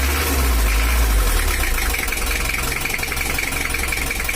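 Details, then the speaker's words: 1982 Toyota Hiace LH11 diesel, complaints of overheating and harsh sound, non-original exhaust stack, before adjustment: coarse uneven idle clatter with lumpy beat near 170 a minute; harsh running, injection pump timing to be set. "kasar ya lurgan juga ada ginjalnya untuk mesinnya sendiri belum tahu oli mesinnya begelung Obos dan suaranya kasar nanti kita akan setel juga"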